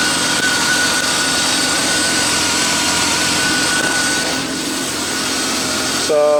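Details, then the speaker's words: BMW E36 328i convertible after new spark plugs, previously rough startup: steady, even idle with a smooth, unwavering tone and no misfire stumble; smoother than before, normal idle. "i mean it only ran for a minute before but it definitely sounds a lot better um it already sounds smoother"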